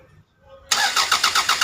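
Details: Toyota Caldina 1AZ, crank no start for 5 months with the engine light off: the starter cranks at an even, steady beat of about eight pulses a second and never fires. The cause is a blown 20A EFI fuse.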